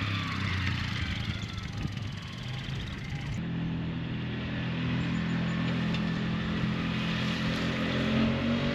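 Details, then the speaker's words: 2003 Polaris Sportsman 400 ATV on a test ride after valve adjustment, timing and final assembly; the single-cylinder thrums steadily under way, pulling evenly in high and low with no knocks or misses; starts and runs great, normal running. "Everything's working great. This thing starts up great, runs great."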